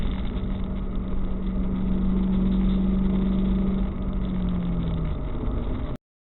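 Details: 1998 Ford Mustang GT V8 after a PI head swap with ported and polished heads: deep, steady rumble with an even beat and a smooth swell in revs, no misses or knocks; engine runs healthy.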